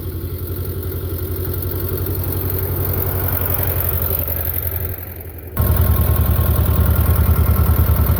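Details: Belarus 250 tractor, 2-cylinder air-cooled diesel, sat for years, running again; during PTO and three-point test, steady low clatter picking up firmly under load after brief dip; normal running after repair.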